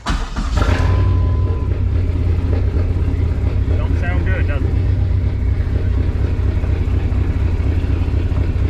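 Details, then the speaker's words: Dodge Neon SRT-4 in freezing weather, P0304 with the check-engine light blinking: cylinder 4 active misfire from no spark (P0456 EVAP also stored). The cold idle is a heavy, lumpy rumble that never evens out, running rough. "yeah running pretty rough uh I don't know how if it's coming through the camera but it's in bad shape"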